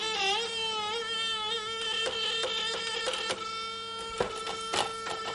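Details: Unitra ZK 120 reel-to-reel tape deck with no audio output: a steady, slightly wavering squeal with scattered light clicks from the rubbing supply reel.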